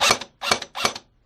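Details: AEG airsoft gun with locked-up gearbox complaint, retested with motor plate in place: three crisp, even bursts about 0.4 s apart with clean stops, normal gearbox cycling; battery possibly died during play.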